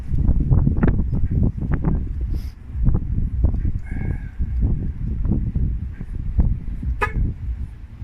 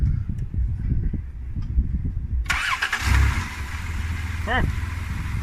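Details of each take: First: Van just after a throttle body cleaning and fresh oil change, with a forgotten hose plugged back in: uneven low chugs and surges that rise and sag without settling into a steady idle. The engine is struggling to catch and run. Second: Van engine just after a throttle body cleaning, with one hose reconnected: it catches after a short crank and settles into a steady, even low idle with no misses or stumbles.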